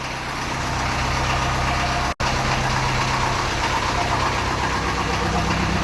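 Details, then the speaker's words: Land Rover Series 2A 2.25 diesel after a cold start following a month of sitting, idle raised on the hand throttle: even diesel clatter at a steady warm-up idle with no misses, next to no smoke from the exhaust. "beautiful beautiful lovely yeah i'm more than happy with that how that started there next to no smoke at the back"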